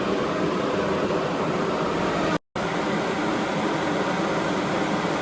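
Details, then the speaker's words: Newly fitted auxiliary pusher electric fan on a Pontiac Firebird Trans Am, switched on with engine off: loud steady whoosh of air, even and smooth with no rattle or scrape, briefly cut once; fan running normally, quite noisy. "yeah so she's obviously quite noisy without the engine running"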